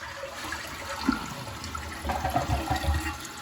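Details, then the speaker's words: Toilet after full tank rebuild to cure constant running: clean flush whoosh then steady gurgling refill that stops without hissing, using less water; normal flush and refill. "so you can see now too how much less water is being used so it's a more efficient setup"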